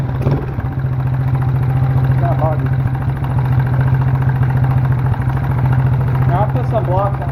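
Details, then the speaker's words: Small free ATV, 72cc single-cylinder, choke on, first run: it idles with a loping, uneven beat of about three pulses a second. Owner suspects it is not warmed up, with oil in the cylinder from sitting. "well it runs I don't know it's not running super good"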